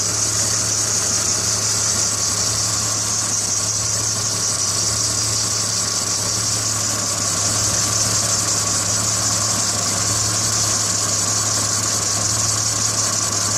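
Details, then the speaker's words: BMW 330i after a couple of days of rain, not responding to the accelerator: a rough, uneven stumbling idle with a hiss. Misfire from bad spark plugs and moisture on the ignition coils. "when i finally started taking things apart i discovered some moisture on coils and of course bad spark plugs"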